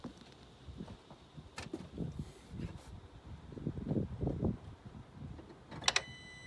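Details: 2009 Chevy Traverse: uneven knocks and thumps when trying to start, with good battery and oil, plus a high electronic whine during and after cranking; the engine was confirmed toast.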